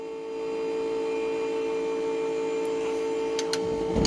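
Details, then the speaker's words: School bus (skoolie) windshield washer pump, before repair, ignition on with the button held: thin, steady electric whine at one pitch throughout; the pump sounds really bad and takes a long time to deliver fluid. "that pump sounds really bad and it takes a long time as you see I'm still holding the button"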